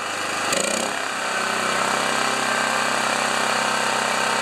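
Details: Honda EB2200X generator with auto low idle switched off, running unloaded: fires after a brief crank and holds a fast, high-pitched steady drone. The governed speed is set too high and was later turned down to 3400 rpm.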